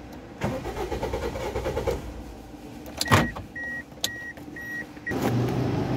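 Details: Toyota Vios that will not start: the starter turns the engine over with an even chug for a couple of seconds and never catches; ignition coil spark checked OK, fuel pump pressure being checked; crank no start.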